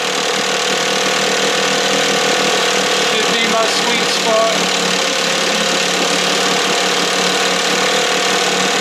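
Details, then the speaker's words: 1968 Evinrude 6 hp two-stroke outboard on a stand in a water tank, throttle near timing mark, running warm: steady even buzzy fast idle, no misses or knocks; healthy, "a little fluffy". "yeah babe you sound good a little fluffy"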